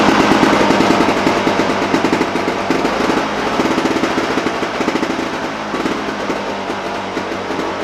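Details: Lawn Boy push mower with intermittent no-spark, after cleaning coil and mounting bracket and taping plug wire: rapid, steady single-cylinder popping at running speed with no cutting out or stumbling; running normally.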